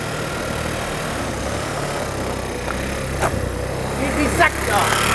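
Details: Buggy with a freshly installed engine, driving through a garden with the battery hanging loose: steady even beat, no misses or knocks; normal running.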